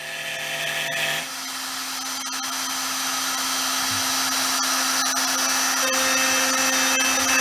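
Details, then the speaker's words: New 4x8 CNC router with a new router, cutting an arcade cabinet: steady high spindle whine and even cutting hiss, no chatter. Earlier jitter was traced to a loose mount; tightened, it now cuts smoothly. "we think we smoothed it right out oh hell yeah"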